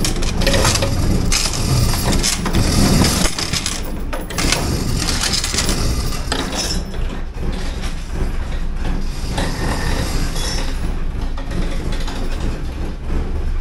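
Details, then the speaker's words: 1979 Porsche 924 after fuel distributor rebuild, first start: catches and runs unevenly with a ragged, stumbling rumble; rough running. "And it starts. Doesn't run worth a shit, but it starts."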